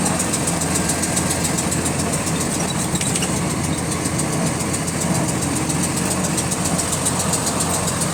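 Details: GAL WVL358 bus diesel on route: fast even clicking under the steady rumble, keeping time with engine speed; source unidentified.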